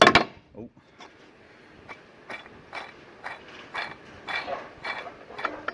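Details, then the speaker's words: Old water pump removed from VW 2.0 TDI during timing belt job, spun by hand: dry gritty scraping rasp every turn; worn-out bearing from being left unchanged for a very long time. "really really bad just because it hasn't been changed in i just don't know how long"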